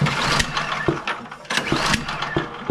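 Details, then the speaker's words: Bolens (MTD) snowblower with PowerMore 179cc engine, no-start: sharp irregular pops through the intake on each pull with no catch; previously suspected carb issue, traced to a stuck-open intake valve causing intake backfire. "So they thought it was a carb issue, I'm sure, but as I'm trying to pull that over, what we're getting is we're getting some popping out of it."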